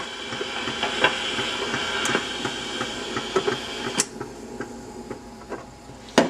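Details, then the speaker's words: Phono-Trix German reel-to-reel tape recorder, possibly late 1950s or early 1960s, left in play position: hissy mechanical run with repeated dull thumps and clicks as the motor shaft hits the flat-spotted rubber on the flywheel. "yeah you hear that D that Thump Thump as it was going it's because on the inside the motor shaft is goes against the rubber on the flywheel and the thing was left in the play position when I got it"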